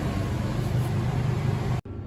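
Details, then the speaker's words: Mobile clinic overhead AC unit switched on with the generator and inverter running: a steady low hum and airflow rumble without rattles or surging, then a sudden drop; the rooftop unit sounds normal. "what you would do is first click the power button until it turns blue, and then click it once more, and now you can change the controls. And the overhead AC is now running."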